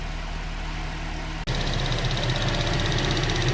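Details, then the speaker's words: GM Acadia at idle after repair: light, fast ticking about three a second traced by hand to the evap vent solenoid; usually fixed by replacing the solenoid. "we've got an issue with the evap vent solenoid there and when you reach that in here you can feel that that for the ticking is coming from"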